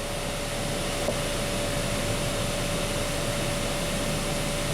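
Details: 2012 Honda Accord Special Edition blower motor at key on, full blast, current clamp holding steady near 15.5 A, within spec. Steady even rush of air, faint constant hum, no rubbing or ticking; normal blower operation.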